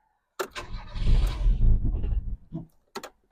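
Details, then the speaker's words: Car started on the button with the clutch in dies straight away, then shows uneven chugging and weak puffs; it will not hold an idle, though it later settles to a slightly hesitant idle. "happy doesn't really want to idle"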